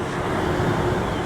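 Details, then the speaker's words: York rooftop HVAC unit after repairing a failed blower motor bracket frame: steady, even rush of air with low hum, no rubbing or squeal, as suction is felt on the blower door (negative side) while checking rotation; normal blower airflow. "We should have suction on this panel, which it feels like we do. You can hear the airflow."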